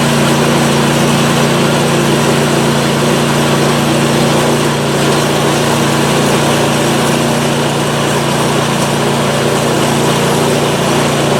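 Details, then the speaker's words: PowerSmart 24-inch snowblower, first start of 2021 after sitting without fuel since 2018, carburetor primed, oil checked; steady even engine drone with constant low hum, no misses or knocks; runs normally. "so all right it's running i'm gonna reconfigure and we'll test it out so so she's a runner awesome"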